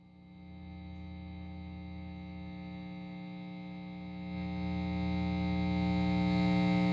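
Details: PRS HDRX 20W amplifier: a constant low buzzing hum with a fast, even pulse that grows slightly louder, an unwanted buzz/hum of unclear cause.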